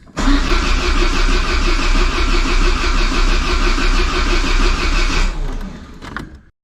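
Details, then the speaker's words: Peugeot 205 GTI with fully rebuilt engine on first start attempt: starter cranks steadily about three beats a second but never catches; spark present but no power to the injectors, traced to a dead fuel pump (tachymetric) relay. "je t'explique ce que j'ai fait ce que j'en déduis j'en déduis qui a pas d'alimentation sur les injecteurs pourquoi parce que j'ai contrôlé donc j'ai pas du tout d'alimentation"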